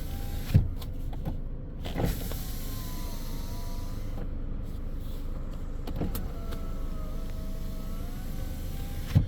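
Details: 2015 Ford Edge window after relearn: motor whirs smoothly up and down with an even pitch and a soft stop; auto function now working.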